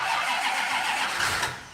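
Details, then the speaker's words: V8 car cranking after the timing was backed off a little; a distributor cutting power on and off is mentioned. Quick hissy cranking that sounds close to firing ("it wants to start") but never catches. Cranks but does not start. "yeah yeah I hear it there I hear it uh it wants to start she wants to"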